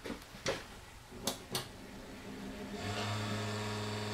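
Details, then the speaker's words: Desktop PC with a newly installed power supply, powered on with the drives disconnected: clicks, then the PSU starts and the motherboard CPU fan spins up to a steady hum with a rough whirring edge, noisy because of dust in the fan. "we have a good sign we here the power supply turning on and the fan on the motherboard is also spinning it's making noise because there's some dust in that fan"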